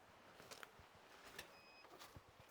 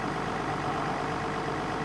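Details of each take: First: Doosan diesel excavator that had sat a while, no-start: sharp dry clicks about twice a second from a relay, with no cranking. No power is reaching the starter, not even a click there; the relay or solenoid is suspected. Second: Doosan 14-ton diesel excavator that had sat parked a while, started with a boost pack: an even, steady diesel clatter at idle with no misfire or knock. It is running sweetly, a normal idle.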